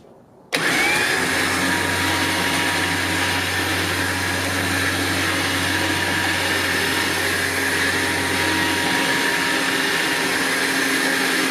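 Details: Badland 12,000 lb winch with a wireless receiver, newly bolted to a trailer to replace a 9,000 lb unit that had something wrong from the start. A steady, even motor hum holds for about eight seconds under load with no grinding or clunks; it pulls normally.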